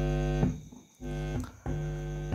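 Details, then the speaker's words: Sony active speaker with no sound but indicator light on, PCB open: touching the output stage (final) input gives a low steady mains hum that stops between touches; output stage still good. "bunyi ya Oke berarti finalnya masih dalam keadaan baik-baik saja"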